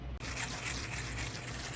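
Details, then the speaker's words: Fishing baitcasting reels cranked with rough, scratchy grinding and trembling from worn main drive gear (crown) and pinion teeth; new gears make them smooth and silent. "vou te mostrar como que estava a situação do recolhimento dessas duas carretilhas por conta de desgaste na coroa e no Pinhão olha como é que fica"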